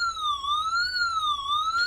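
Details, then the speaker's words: Winees WiFi water leak detector (S1 Plus, 100 dB alarm) placed by an aquarium with water dropped on the sensor: a loud, repeating warbling alarm beeps automatically, signalling that a water leak was detected. "And if you guys hear it, it starts beeping automatically. Tells you that there's some water leakage."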